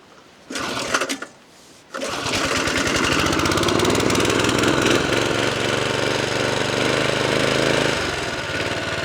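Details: 1979 Norlett 1002 BS lawnmower, new in box and never run, after fuel mixture screw turned in for too much fuel: a few pull-start attempts, then a fast, even putter with no misses. Normal running.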